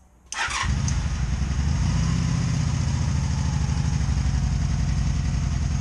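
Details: 2002 Honda Magna VF750C during rebuild, plugs gapped to spec, one rear plug dry: catches quickly then low uneven idle with popcorn popping on one side; one cylinder running cold, misfiring.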